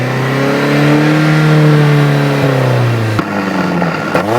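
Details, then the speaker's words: Nissan D21 with NAPZ dual-plug 2.4 engine revved hard, then a kill switch wired into the coil feed cuts the ignition, sending two sharp backfire cracks out the exhaust; a deliberate ignition-cut backfire. "every time you flip your kill switch it's gonna [ __ ] fire out that exhaust like that"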